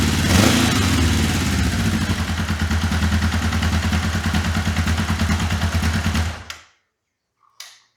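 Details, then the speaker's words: 1981 Honda CB750K, not run since 2010, after carburetor rebuild, auto petcock bypassed, idle set via bottom screw: even, steady idle beat, no misses or clatter, then shut off; healthy running. "All good to go, not gonna lie. I already ran this before I started shooting this second part of this video. I adjusted the carburetor idle via the screw on the bottom."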